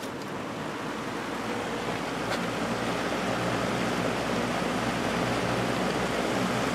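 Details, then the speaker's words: Early-1980s Sears box fan with a plastic Marco motor, seized and then cleaned and oiled, running on high: smooth, steady airy rush swelling as it speeds up, no rattle or grind. It runs healthy. "and amazingly it was not making any annoying vibrating sounds"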